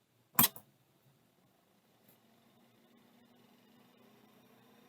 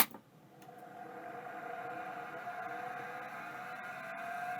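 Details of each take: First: bearings are quiet sounds like it's working Second: Fujitsu M2234SA hard drive powered with 12 V to the spindle connector: spins up with a thin rising tone and faint gritty edge, a rough spindle bearing; does more than retract heads, needs further diagnosis.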